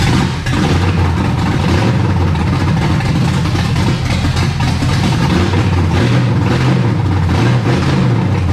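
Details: Camaro V8 first fire-up after setting timing, new battery, distributor cap and old plug wires: deep, even rumble with light throttle blips, no misses or knocks; runs smoothly, timing then advanced slightly.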